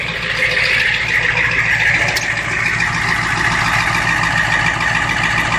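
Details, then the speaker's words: 1991 Ford F350 7.3 IDI diesel, cold start after sitting all day and night, Hot Shot injector cleaner added, throttle pushed into high idle: big diesel clattering at steady even idle, no stumble or miss; running really well. "but it's running really good don't know how my phone's going to deal with that noise but running really great"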